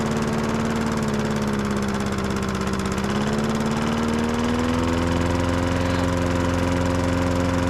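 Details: Old Masport mower, about 35-40 years old, sitting unstarted about six years, fresh oil and fuel added: small single-cylinder engine runs smooth and steady, pitch lifting slightly as it settles, no misses or rattles; running healthy.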